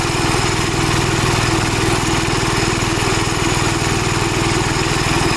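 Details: Gravely Model L tractor with governor, already run earlier, after its blown head gasket was replaced; crisp single-cylinder beat at about four a second, even and steady under the governor. Runs strong, though an oil leak remains to be found.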